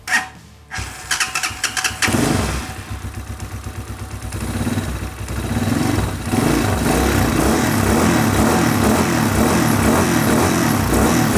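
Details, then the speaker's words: Crashed Hawk 250 Chinese carbureted motorcycle, sat a year: engine catches and runs ragged and uneven, stumbling off idle, then settles into a steadier idle; suspected carburetor adjustment screw at the bottom. "However, I tried to start it last night and it was doing this. That feels a bit more appropriate. Aw. Okay, so stumbling off idle. That is probably that screw down at the bottom."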